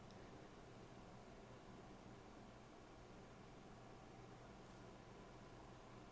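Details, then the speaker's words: PNY RTX 5080 Slim dual-fan GPU in an ITX test bench after minutes under full load: faint, steady airy hush with no whine, buzz or rattle; much quieter than the three-fan card, normal operation. "It is way quieter under load."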